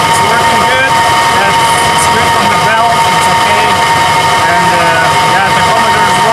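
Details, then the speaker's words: 2000 Nissan Xterra 3.3L V6 after crank-no-start ignition circuit troubleshooting, with ignition timing now set: engine fires and runs smoothly and evenly through the rev, no misfire, stumble or knock, over a steady background whine; normal running. "But now we have our ignition timing set and um works and the vehicle runs like it should. Okay guys, I'm going to fire it up and you can you can hear it."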